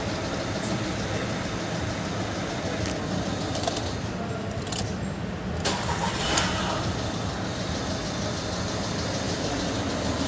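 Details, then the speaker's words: VW Polo 1.2 CJL diesel that would not start with ECM-locked code P157000, after replacing blown SC11 and SC13 fuses. Steady, even diesel clatter settling into a smooth idle with no misses; starts easily. "So ಅದನ್ನ fuse ಅಲ್ಲಿ ಹಾಕಿ check ಮಾಡಿದ್ಮೇಲೆ ನಾನು ನಿಮಗೆ ತೋರಿಸ್ತೀನಿ vehicle ಆರಾಮಾಗಿ start ಆಗ್ತಾ ಇದೆ"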